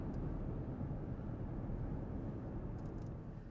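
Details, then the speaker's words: 2014 Porsche Cayenne after front differential replacement (old one had failed pinion bearing), heard from interior while coasting off throttle: only soft even road and tyre rumble, no grinding or humming from diff or transfer case. "No grinding, no humming, no noise whatsoever. It's as quiet as could be. I don't hear the transfer case. I don't hear the diff."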